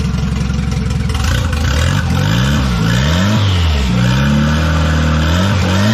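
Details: $200 wagon, first start after fitting a new GMC Typhoon/Syclone turbo and priming the oil: fires easily, clean blips rising and falling with a steady idle between. Healthy, though the factory hard oil feed line plug leaks.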